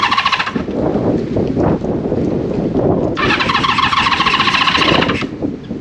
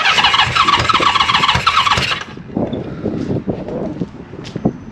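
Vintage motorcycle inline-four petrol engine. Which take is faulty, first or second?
first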